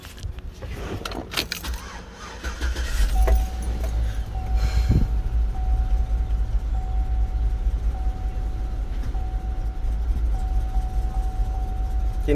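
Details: 2008 GMC Yukon 5.3 V8 idling with uneven, lumpy rumble from random misfire; owner reports rattling, misfire codes for cylinders 4, 6 and 8, and the truck won't exceed about 20–30 km/h.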